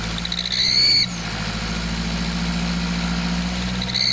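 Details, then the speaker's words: Nissan Patrol ZD30 diesel accelerating, parked or under load: extremely loud piercing high squeal that rises and falls with revs over the diesel rumble, traced to a cracked, leaking exhaust manifold. "now as you could hear there that was a very distinctive noise it was actually Extremely Loud I had to turn the volume down when editing it so it wouldn't pierce your brain while you're listening to it"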